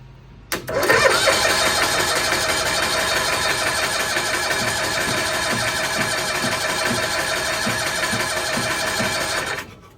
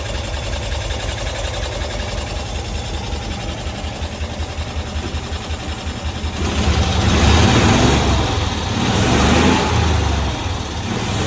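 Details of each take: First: 1992-ish Cushman Truckster pulled from a field after years unused: starter churns steadily for nine seconds without firing; cranks but won't start, suspected no spark, later burnt wires found in a plug on the spark circuit. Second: 1992-ish Cushman Truckster, revived after years in a field, tested in gears (reverse, first, second, third) without brakes: small engine putters evenly, then picks up cleanly under throttle, revs rising and falling smoothly without stumbling; normal revving.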